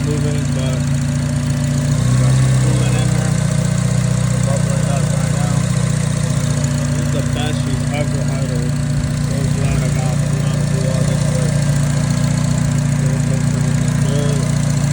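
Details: Acura RSX K24A2, first start after new thermostat, knock sensor, throttle body adapter and cleaned IACV and throttle body: steady, even idle with smooth low hum, no knocks or stumbles; running better and cleanly.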